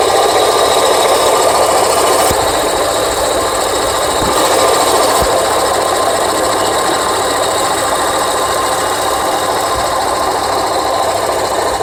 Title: Rattling noise engine